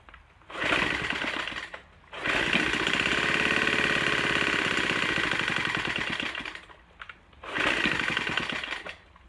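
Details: Troy-Bilt TB4HB EC leaf blower, unstarted 4–5 years, full choke, primed: surging and stumbling between pulls, uneven buzzing beat at running speed. Air breather loaded with oil via crankcase overflow tube; blow-by past the piston rings pressurizing crankcase.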